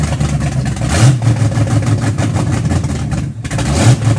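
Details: Car "Betsy" after three and a half years off the road, new starter, camshaft broken in, idle timing set the day before: low, uneven lumpy rumble with surging revs instead of smooth idle; running rough.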